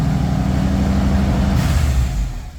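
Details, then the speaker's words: Wide Gauge Bombardier that sat in the back lot awaiting customer pickup, started after the fuel pump primes: engine catches and settles into a steady deep even rumble with no misses or knocks; normal start and idle. "starts right up that's what we like to here"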